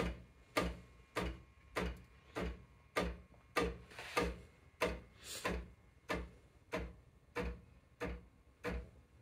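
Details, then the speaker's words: Ascaso Steel Duo PID V2 espresso machine on a 20 amp outlet, steam just switched on. Even, wooden-sounding knocks, roughly a hundred a minute, each followed by a short hiss, fading as pressure presumably builds. This is normal steam wand knocking at start-up. "And so that knocking eventually gets fainter and fainter until presumably some pressure builds up."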